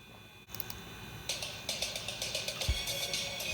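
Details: Snow iMac G3 slot-loader playing a CD through its original rotted speakers before replacement: thin, buzzy, crackly music with missing lows and harsh rasp on every beat; distorted output from rotted speakers.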